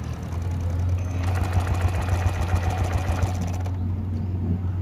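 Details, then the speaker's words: BS6 TVS XL100 scooter cranks on the self-starter at about 3.5 turns a second but never catches, with the sensor light on: no fuel because the fuel pump is not delivering, causing the starting trouble. "అయితే start అవ్వట్లేదు అనమాట. Sound విన్నారు కదా, ఈ sound అయితే వస్తుంది అనమాట."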